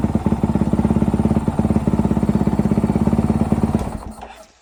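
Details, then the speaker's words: Honda 450L single after exhaust upgrade, JD Jetting tuner and open-top airbox mod: thumps steadily at about three a second from the first beat, no stumble or misfire, then shuts off cleanly; healthy start. "I can tell you, one thing I've noticed off the bat, there's no stumbling when it starts. It immediately starts, you know, off the bat."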